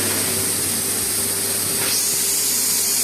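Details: Emotion-24 balneo bathtub air pump (blower), after repair of a fault that tripped the power on start: steady airy rush with a constant hum underneath, running evenly without cutting out; normal running.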